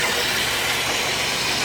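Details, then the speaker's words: 2009-2012 Chevy Traverse-family V6 after water pump and thermostat replacement, idling with the hood open and no leaks; a steady, even hiss and belt whirr with no knocking, ticking or squeal, smooth and healthy. "Alright, so we have the engine running here for a little bit and see if we can see our water pump up here without getting my head cut off somewhere in a belt. It looks like it's running smooth."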